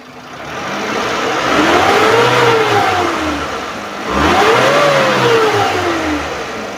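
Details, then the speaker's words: 2012 Suzuki Carry Futura 1.5 pickup, dry engine under seat, free revving after smooth idle: two smooth rev blips rise and fall cleanly with no knocking, rattling or misfire; normal revving. "Kita akan memacunya. Suara mesin tetap halus. Masih baik-baik saja dan normal."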